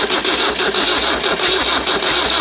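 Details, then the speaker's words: Nissan SD22 2.2L 4-cylinder diesel in an Oliver OC-3 crawler loader, first crank after connecting starter button, glow plugs not yet used: quick, even starter churning, smoke but engine never fires; crank, no start. "all right two things are happening one is bees are coming out of it the second is turning over and the third is I see"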